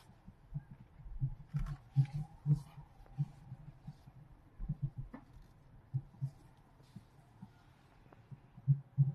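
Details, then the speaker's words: BYD Qin L front shock absorber knock: when cold and at low speed, turning the steering after a speed bump, the front wheels give dull, muffled irregular thudding; replacing both front shock absorbers cured it. "过了减速带以后，你打方向盘啊，它这个前轮有异响，就是那种闷闷的咕噜咕噜的声音。"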